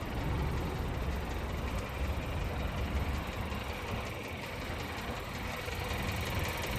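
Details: Skoda Octavia A7 1.2 TSI, 47,500 km, no dashboard errors: uneven low knocking through the idle, loose and irregular. Owner notes hesitation and clanking when accelerating under load, which disappear after a few 2nd-gear pulls to 3500–4000 rpm; engine knock.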